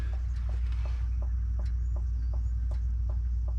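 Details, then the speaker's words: 1989 Subaru Brumby 1800 4WD idling after a Flokool RAD268 radiator replacement and coolant refill: soft popping ticks, about one and a half a second, over the engine hum as trapped air bubbles purge into the overflow bottle. "can hear the air bubbles going into the Overflow bottle"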